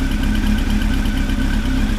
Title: Engine ticking noise (some research results)